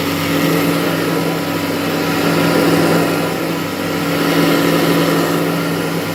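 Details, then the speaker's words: Kirby Heritage vacuum with burning belt smell: steady motor hum with a rough, uneven flutter; cracked fan impeller (rotor) causing drag and the belt to slip. "not a complaint that this Kirby heritage was making a weird noise or noise that's not normal so I'm going to investigate and see what I can figure out"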